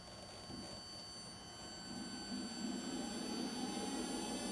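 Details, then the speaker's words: Electric VW Thing conversion with lithium pack and Curtis 1231 controller, motor spinning up in neutral at low throttle after main contactor clicks; thin steady high-pitched whine with soft rising hum, normal Curtis controller whine at low throttle. "Next we should hear the Curtis whine, since this is the 1231. They whine at low throttle."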